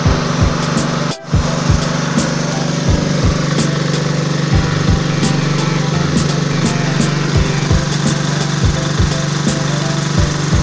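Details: Generator that wouldn't start or keep running and had almost no oil, very thick and black; after washing and refilling with oil it runs at a steady, even drone with no misses or surging. Normal running.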